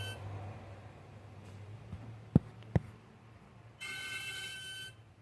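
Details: 2013 BMW 535i M Sport, 26,400 miles, engine off 20–30 minutes after parking: a thin high whistle from the engine bay for about a second, from a failing AC compressor; noise gone after compressor replacement.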